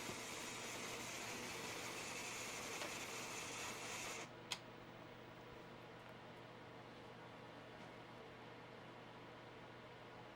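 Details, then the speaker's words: Atari console powered on: loud steady rushing hiss like a gale that cuts out abruptly at power-down; a capacitor in the sound circuit is missing. "Uh, we're definitely missing that cap there that does the sound and that's why it sounds like we're fighting the Kraken."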